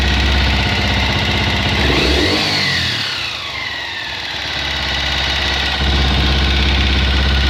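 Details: Honda XLR single-cylinder at idle with a regular tap about three times a second that persists through a brief blip; abnormal engine noise, cause unclear.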